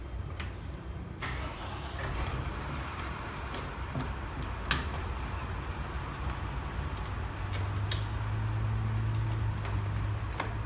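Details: Petrol car whose battery was drained to about 11 volts, jump-started with a 400 cold-cranking-amp jump starter: a low rumble firms up and settles into a smooth, even idle with no misses or knocks; a clean, easy start.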